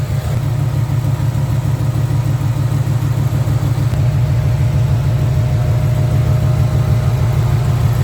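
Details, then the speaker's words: 1994 Camaro Z28 V8 idling after alternator and serpentine belt replacement: deep, even burble with steady low pulse, no knocks, ticks or squeals; running smooth again. "Yup. That thing's running smooth again."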